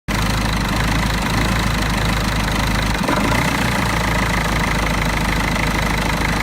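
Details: Mercedes OM646 diesel idling cold with an uneven, knocking clatter; a faulty EGR valve causes the rough idle only until coolant reaches 60 °C.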